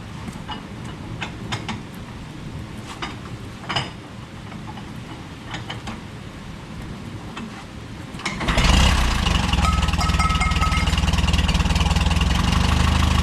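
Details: Case Vac tractor after a new water pump and serpentine belt for overheating after a coolant change, started indoors with rain pattering: engine catches and settles into a steady, even idle with no knocks or squeals; running normally.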